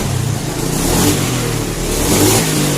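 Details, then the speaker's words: Honda Scoopy fuel-injected scooter, spark plug cap replaced: revs at full throttle surge and stumble instead of rising cleanly; hesitation blamed on misadjusted throttle position sensor, to be fixed by shifting TPS with engine running. "Nah, ini sudah lumayan enteng tapi ada berbetnya nih. Oke. Tapi atasannya berbetak."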